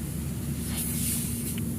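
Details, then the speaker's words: Showcase refrigerator after welding repairs, compressor running during evacuation before the freon charge. Steady compressor hum with a soft, continuous high hiss as system air is drawn out through the open capillary discharge line. Air hiss from the capillary tube during evacuation. "Di sini sudah, dan pada pipa kapiler pembuangan di situ dapat hembusan udara. Di sini udara yang ada di sistem akan terhisap dan keluar menuju jalur pipa kapiler"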